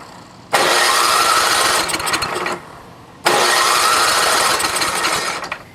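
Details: NOMA 8hp snowblower in cold weather, carb rebuilt with cheap parts, fuel on, no primer: two even two-second cranking bursts that never catch. Fuel starvation, with nothing coming out of the carb needle.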